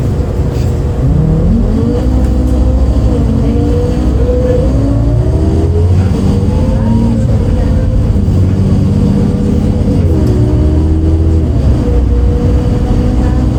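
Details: 2008 MAN Lion's City A37 bus, MAN D0836 LOH 63 engine and ZF Ecomat 6HP, recorded onboard in service with kickdowns: deep diesel drone with a whining note that rises and dips through gear changes; an unusual engine sound of unclear source.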